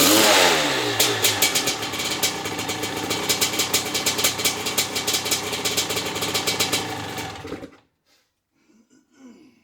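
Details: Maico 660 two-stroke after new reeds, reed intake and jets: crisp ringing rapping with sharp even pops through the revs, then clean shutoff; started and restarted easily, idle needed adjusting; runs fine.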